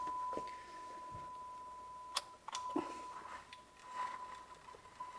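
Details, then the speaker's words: Pioneer SA-6800 45 W amplifier on service bench, test tone on auxiliary through speaker A. Steady tone breaks into scratchy crackles and dropouts as the volume control turns: dirty potentiometer. "It's It's bit scratchy. And I I'm going to get this because it's I'm not going to listen to this."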